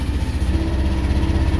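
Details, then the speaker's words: Miva mini excavator diesel started after 3-4 days out in the cold and wet, running just above idle: a steady, even low rumble with no knocks, misses or surging, so it is idling normally. "okay can you hear this running that idle right there is how this whole thing will work the whole thing will run now"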